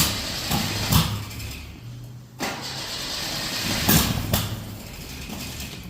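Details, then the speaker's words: Datsun with coil-on-plug conversion: uneven, lumpy idle right after start-up with irregular surges and dips, misfiring. Ignition is definitely out of time despite trying different firing orders by shifting the plug wires counterclockwise, the distributor's rotation. Rough running; cause not confirmed. "so it's definitely out of time but I mean I've tried all sorts of different firing orders"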